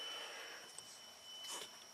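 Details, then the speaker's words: 2013 Ford Edge V6 with battery-drain complaint, key off after clearing codes: faint steady high-pitched whine from the throttle body, as the PCM stays awake on its relay; a replacement PCM did not fix it. Cause not yet confirmed. "Um, right off the bat, you hear this little high-pitched whining sound. So, something's still alive."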